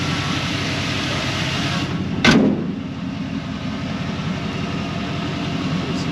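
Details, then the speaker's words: 1971 Chevrolet Blazer resto-mod with LS 5.3L V8 and 700R4 automatic, just started: fires right up, extremely smooth, even low rumble with no ticks or knocks, one door-like thump. Normal healthy idle. "That 5.3 fires right up. Nice and tight. No funny noises. That was extremely smooth."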